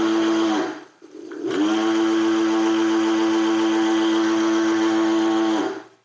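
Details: Segway Ninebot G30P Max kick scooter hub motor in sport mode, rear wheel lifted and throttle floored: loud steady high-pitched whine holding flat, top speed only 15 km/h unloaded; motor fault, controller or connections suspected, cause unknown.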